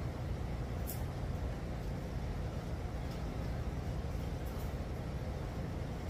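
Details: 1954 GMC COE truck with a GM 4.3 L Vortec engine, idling just after the spark plug gap was changed: low, even rumble holding steady with no stumbles; much better than the day before, when it needed throttle feathering to stay running. Normal idle.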